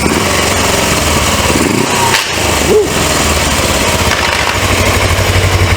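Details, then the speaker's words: 1980s Suzuki GS450A automatic motorcycle with a bad transmission, running after a carb clean and oil filter housing leak check: a rough grinding under the engine, like it wants to jump gear. Internal transmission fault suspected, not diagnosed. "still kind of making that grinding sound you hear it like it wants to Jumping gear automatically something inside of there bad I don't know what it is"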